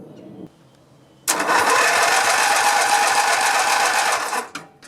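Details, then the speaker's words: Grasshopper mower, 16 hp Vanguard V-twin: cranks quickly for three seconds without catching because there is no spark on one cylinder; disconnecting that coil's kill wire restores spark, so a shorted kill wire or faulty diode is suspected. "got nothing. Let's go ahead and disconnect the kill wire to the coil on this side and see if that fixes our problem."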